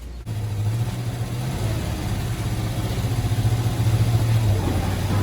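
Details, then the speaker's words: 1976 Chevrolet G10 van, sat in mud 15-20 years, first start on old gas; front tires flat, rear end jacked up, brakes on: steady low idle drone loads slightly as the transmission is put in reverse and drive, engaging and pulling smoothly. "Oh, I got the brakes on. Shit! Put it in the reverse works."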